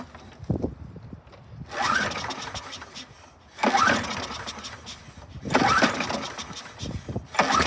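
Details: 2002 Toro Super Recycler mower, model 20037, engine 123K02, recoil replaced; three recoil pulls about two seconds apart, engine never catches; primer bulb pushes only air, no fuel reaching the carburettor emulsion tube.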